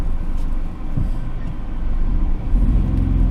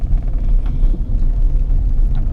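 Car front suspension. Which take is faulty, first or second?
second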